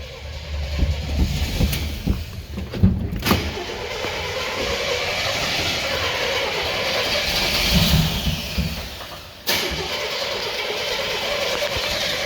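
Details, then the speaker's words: Pontiac G-body with rebuilt carb on its first drive after gravel donuts: uneven churning, sudden cutout as it shuts off with smoke rolling from the hood, then fresh cranking struggling to restart; cause unclear. "So still running. Oh, she shut off. We got volts going on. We got smoke rolling out of the hood."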